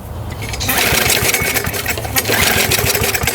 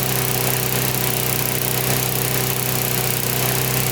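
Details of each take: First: Older Briggs & Stratton 3.5–4.5 hp mower engine (carburetor on metal tank) after carburetor diaphragm repair and spring adjustment, primed: uneven rattling pull-start bursts that never settle into a run. Hard starting; the primer is suspected of not working right away. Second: Older Briggs & Stratton 3.5–4.5 hp mower engine with carb on metal tank, after carburetor diaphragm replacement and cleaning: steady, even drone for the whole run with no hunting or sputtering. Running right.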